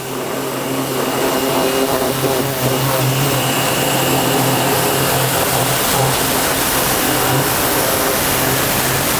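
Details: Nilfisk C110 pressure washer with circular nozzle, wider and less powerful spray: steady motor hum with constant spray hiss, no surging or knocking; pump running evenly and normally.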